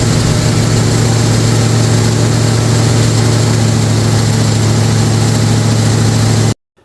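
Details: First fire-up of a brand-new 445 stroker FE V8 in a 1962 Ford Galaxie. A strong, steady rumble is held at a fast, even speed with no knocks or ticks, then cut off; the fresh engine sounds healthy.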